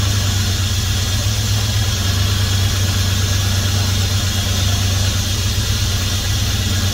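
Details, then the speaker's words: 1971 Dodge Coronet police car, 383 big-block 4-barrel, first start since the early 90s after new plugs, wires and oil: deep, steady, even low rumble at idle with no knocks, ticks or misses, 60+ psi oil pressure; normal idle. "well I'm just tickled by that listen to that thing purr"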